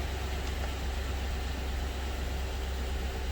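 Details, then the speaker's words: LS V8 started right after oil pump replacement, no belts or water pump fitted: deep steady rumble at idle, no ticks, knocks or rattles, about 37 psi oil pressure; normal idle. "So we're going to start it. Make sure we got some. And there we go. We're sitting on about 37 psi oil pressure."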